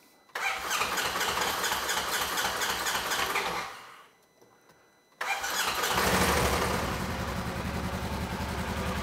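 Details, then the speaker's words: 2015 Polaris RZR 900S that had been dropping and then lost a cylinder after storage, heard after the fuel injectors were reconnected and the fuel system primed: it catches quickly, cuts out, restarts, and revs cleanly on both cylinders with no misfire. "oh yeah now we've got something"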